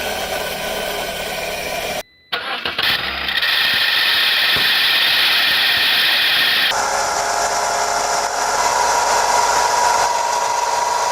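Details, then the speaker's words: Car alternator with internal bearings worn from age and use: the engine cranks and catches, then a constant high whine with a gritty hiss rides over the idle as the pulley turns; damaged alternator bearings. "Ya con el tiempo y con el uso, las partes internas se suelen desgastar y escucharse un ruido cuando gira la polea. Si los baleros están dañados, al momento de funcionar se podría escuchar algo así."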